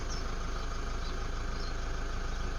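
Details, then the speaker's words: Toyota D4D diesel, Fortuner/Hilux, at first start after timing belt replacement: even, steady idle with a smooth low clatter and no knocks or whine. Healthy idle and quick restart. "it's sounding very good. Sounding very good."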